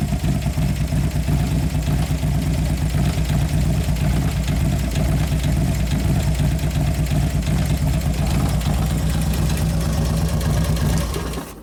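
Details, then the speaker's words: 2011 Harley-Davidson Road Glide Twin Cam after reassembly: fast light ticking over lumpy V-twin idle, somewhat quieter but still present; lifters suspected, not confirmed. "Quieted down somewhat, but still in there. I don't know how loud it was before anyway."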